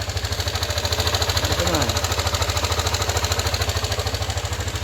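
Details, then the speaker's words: Yamaha NMAX version 2 scooter, idling and lightly revved: hard, even metallic clatter about three knocks a second, reportedly loudest on cold start and easing slightly when warm; caused by a crushed camshaft bearing. "So maingay talaga makalansing ayan. So mas maingay daw nga yan pag buo ng start eh. Tapos pag medyo uminit na medyo humihina ng konti pero may ikalasing pa rin."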